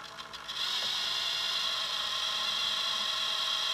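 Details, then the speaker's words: Hitec 785 sail winch servo holding a 1 kg sheet load: hard, strained high whir, much louder than at 0.5 kg, with a faint gritty ratchet; servo overload. "this is now one kilo load and you can hear the noise it's much louder"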